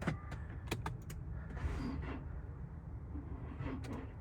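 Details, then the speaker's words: Infiniti G37, over 15 years old, on a very cold start after sitting about a week; battery about two years old. Slow, dragging starter whir, the engine barely catching. Slow crank from a weak, nearly dead battery. "no you can hear it cranking but B barely starting"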